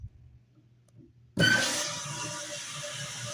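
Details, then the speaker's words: Toilet after replacing the fill valve, flapper, overflow pipe and supply valve, with the water supply turned back on: quiet, then a steady water hiss settling into an even rush as the tank refills, with no leaks. Normal filling. "leaking down here, and you can see it's filling. The tank's filling up."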